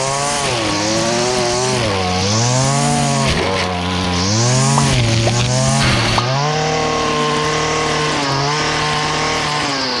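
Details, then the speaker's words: Stihl FS70R trimmer after fix (carb cleaned, clogged spark arrestor cleared), cutting vegetation: crisp two-stroke wail dips under load and snaps back; pulls cleanly. "but we got it back up and run as you see it cuts well nothing else to be said this is how I do it"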